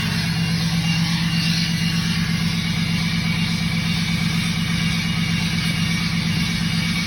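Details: Tuned/deleted 2017 Ram 6.7 Cummins diesel at high idle: steady loud drone with a constant turbo hiss and whistle over it; turbo whistle considered normal.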